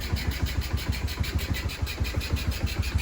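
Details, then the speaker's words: Honda CG 160 motorcycle brought in for an unusual engine noise; it was slow to start because of weak fuel flow. After idle adjustment, an even low putter of about three beats a second with no misses or stumbles: the idle is now smooth and settled. "aí ficou perfeito A gasolin tá descendo é só que custou a pegar porque a gasina dele tava fraca"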